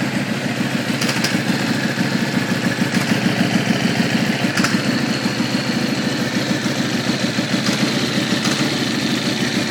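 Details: Aprilia SXV450 twin idling after a cold start, lumpy beat with a faint whistling tone and occasional clicks; odd noise of unknown cause, last start before teardown to replace orange sealant, then it dies.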